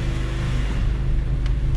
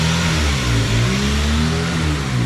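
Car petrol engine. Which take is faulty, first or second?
second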